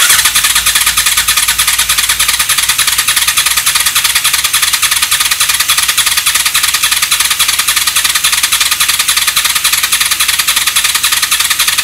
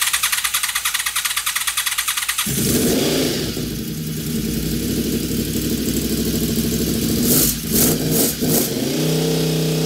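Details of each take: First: Honda VFR750 V4 after carburetor install, cranked by starter with ignition off to circulate oil; even cranking at roughly three and a half pulses a second under steady hiss, sounds right for its 360-degree crank, normal. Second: Honda VFR750 V4 after carburetor install and rebuild: cranks, catches with a burst of revs, then holds a fast even idle that never drops because the throttle is sticking slightly open.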